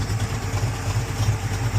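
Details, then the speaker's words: 1978 Chevy Monte Carlo engine after a new oil pan gasket: short stretch of steady, even low idle rumble with no tapping or misfire before it cuts off; engine sounds good, normal idle. "But it sounds good, so no sense in changing out the motor."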